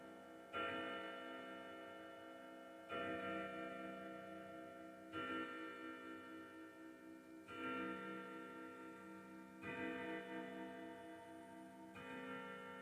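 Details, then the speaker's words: Old grandfather clock after setup: slow, even bell strikes about two seconds apart, each fading cleanly, counting nine correctly for the hour; the strike is working properly. "now the hour hand if it's not on when it Strokes the the Chimes for the uh indicating the hour it just happened to do nine because it's set right"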